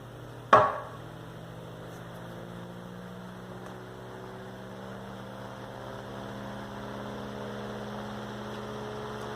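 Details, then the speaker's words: 1930s General Electric fan, motor cleaned years ago, switched on at low setting: switch click, then smooth quiet low hum and soft whir settling in; normal. "Mind that this is on the low setting, so very basic in terms of how fast this blade can go. Got a little bit of wind noise in the front. Very solid."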